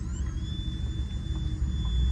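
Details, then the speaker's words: 1958 Buick Special running after sitting two years: a thin, steady high whistle over the low rumble from a leaking vacuum seal in the power brake booster, which goes away when the brakes are pressed. Brake booster vacuum leak. "There's like a vacuum seal leaking away, and if you press the brakes, it kind of goes off."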